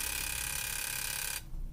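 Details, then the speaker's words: Mazda RX-7 side-feed fuel injector on bench tester, pressurized with carb cleaner and pulsed: rapid, even buzzing hiss of spray runs steadily then cuts off cleanly; injector opens and flows properly. "working we have a working injector so good news"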